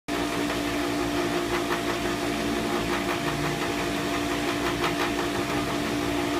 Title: Pentair Whisperflo still noisy after bearings replaced.